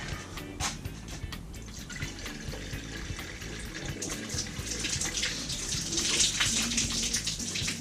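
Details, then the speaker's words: 1994 Audi 80 refilled with water only after cooling system work, engine off: steady splashing and gushing as coolant pours out where the bottom hose was left disconnected; coolant leak from disconnected hose. "If you don't reattach the bottom hose, that's what happens."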